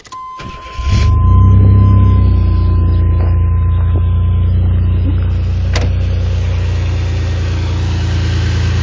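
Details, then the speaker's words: 1988 2.8 L engine with transmission, recent oil change, new plugs, wires and transmission filter. Catches after a brief crank and settles into a strong steady idle with even low beat, no knocks or rattles; strong, great engine. "Strong. It's a great engine."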